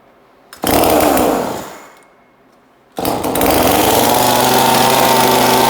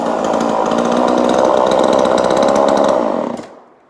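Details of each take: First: 2002 Husqvarna 136 chainsaw just fitted with new aftermarket carburetor, fuel line, filter and air filter, untuned: catches, revs and dies, restarts at steady high speed without dropping to idle; idle set too high, needs adjustment. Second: 2002 Husqvarna 136 chainsaw, 20 years old, after new carburetor fitted and tuned, muffler extra vents cut: crisp, steady high buzz holding even speed, no stumbling or surging, cuts cleanly at kill switch; running healthy.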